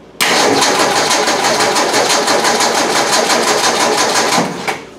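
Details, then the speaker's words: Car with cold-start trouble and mechanical fuel pump, pump outlet line disconnected: long rapid cranking that only catches at the end; owner suspects a weak pump diaphragm, since no fuel comes from the pump. "the reason it's thickened it takes up gas once the motors running a higher rpm and spins fast enough the diaphragms picking up enough gas to keep it running that's my guess"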